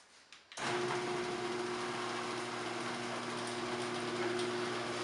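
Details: Freecycle Scotts riding lawn mower being restored, after oil change and fresh gas, cold start on choke: engine catches abruptly and settles into a smooth, even hum with no stumbling or knocking; it runs normally, though it died once pulled off choke.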